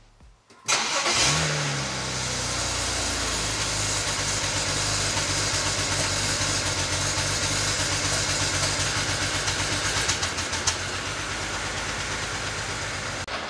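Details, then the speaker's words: BMW 335i wagon N54, first cold start after building a custom sleeper exhaust (325 stock system with 335 front section) replacing an open downpipe; cold high idle with uneven stumbling exhaust pulse; sounds like misfiring, scanner to be checked. "uh well that's not good it literally sounds like it's misfiring"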